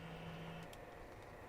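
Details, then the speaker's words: PS4 console after teardown, cleaning and new MX4 thermal paste (previously overheating with loud fast fans), mic by fan after gaming: faint steady soft whoosh, fans at low rpm, pretty much silent. "there you go you can hear it's pretty much silent fans are just running at low rpms there you go fans are pretty silent just running at low rpms"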